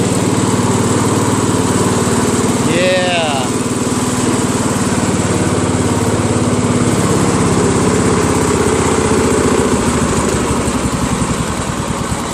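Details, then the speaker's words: Craftsman LT1000 lawn tractor with a 21 HP Briggs opposed twin: an uneven, lopey beat of three to four pulses a second with no steady rhythm. It runs on one cylinder; a mirror inspection showed that cylinder's connecting rod detached from the crankshaft. "I betcha that's a connecting rod that's probably why this is not working"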